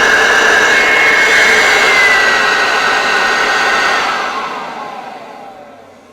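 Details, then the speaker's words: Hoover Turbopower Freedom U2262 vacuum cleaner after cleaning and refurbishment, first power-up; steady high-pitched whine with even whoosh of air, then smooth spin-down after switch-off; normal running. "yeah that sound a bit better right so we know that it works"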